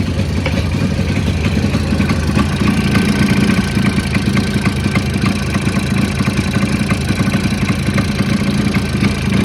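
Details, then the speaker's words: Jawa 638 two-stroke motorcycle, recently bought, idling with a rapid, harsh metallic knocking over the exhaust beat; engine to be disassembled to find the knock. "Ось такі в нас неприємні звуки видає силовий агрегат цього мотоциклу тому будемо його розбирати і розбиратись в тому що в нас стучить"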